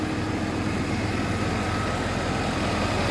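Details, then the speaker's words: Federal Tahoe V8, mostly stock, at idle after tightening up the exhaust bolts for emissions: soft steady burble with no ticking or puffing, the earlier exhaust leak no longer audible; normal idle. "All right, let's hear the engine. Oh yeah, way better. You can not even hear that leak anymore."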